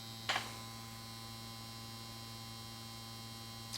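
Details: 1953 Chevrolet Deluxe Two-Ten tube car radio, model 986668, vibrator supply from 6 VDC, after plate-to-ground reading of 300 V (spec about 280-290): steady low buzzing hum, even tones, no crackle or stutter; normal vibrator supply, transformer cold.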